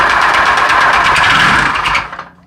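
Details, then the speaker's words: Honda PCX 125 scooter before engine removal and teardown: fast, rough ticking rattles over the running engine, then it cuts off and dies away; abnormal internal engine noise, cause not yet known. "Låt oss först lyssna på det konstiga ljudet som kommer från motorn."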